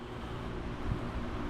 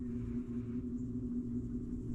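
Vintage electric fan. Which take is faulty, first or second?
second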